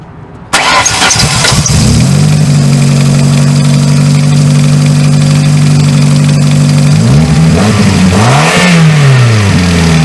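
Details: 2000 Ford Focus that would try to crank but not start because of a seized AC pulley bearing, after the bearing was replaced and the pulley refitted: cranks briefly, fires right up, smooth steady idle, then a couple of clean revs. Normal.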